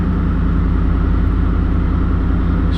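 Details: Truck idling before exhaust repair with a loud, deep, flat, unmuffled rumble and raw blatting pulse. The muffler is blown out with a hole that grew for years; the tips were cut off after rattling against the hitch receiver.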